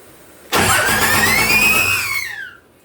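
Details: 2001 Dodge Ram Cummins turbo diesel swapped into a 1952 Dodge M37, first start on one jerry can of fuel: two seconds of cranking with a rising then falling whine, never catches; air in the fuel lines.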